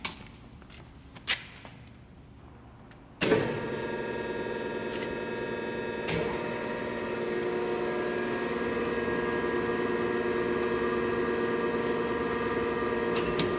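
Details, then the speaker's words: Thompson 8x24 grinder test run: quiet shop, then a click and the motor spins up to a steady, clean hum with a light whine; runs smoothly. "Nice run. Yeah, they built a good machine."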